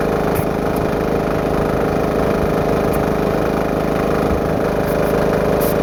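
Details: Homemade diesel-engine air compressor test run after new belt install, warming up around 80–100 PSI, larger pulley not yet worn in: steady diesel chug with an uneven slapping throb about two beats a second; the V-belt is flapping.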